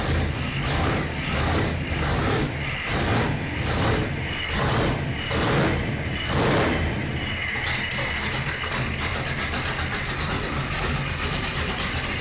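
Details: Datsun Magnum V8 with new supercharger, charge piping unhooked and no air filter, rewired ignition: lumpy idle pulsing a little over once a second, settling to a steadier note; normal idle.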